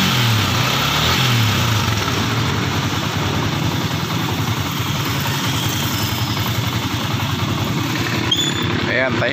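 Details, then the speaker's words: Sniper MX150 after removing and refitting the clutch housing to fix the clutch damper problem: steady, even idle with a soft low thrum and no rattle or knocking from the clutch side; the engine is quiet again. "na uli yung makina yan. Wala na yung dumatagasa."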